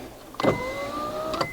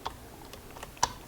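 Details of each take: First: Honda Odyssey power windows after replacing the faulty master switch: a clean motor whine of about a second with slightly rising pitch and crisp start and stop. The windows now work normally. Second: Honda Odyssey power window with the master switch ground disconnected: sharp clicks but no motor hum and no window movement. The relay is not energized, pointing to a faulty master switch.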